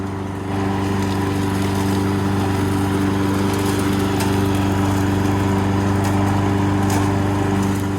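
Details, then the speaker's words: Subaru EA175V 21-inch push mower, after its oil change, driving itself on self-propel: smooth, steady hum with a constant engine beat, no slipping or squeal; running normally, self-propel works beautifully. "Self-propelled works beautifully."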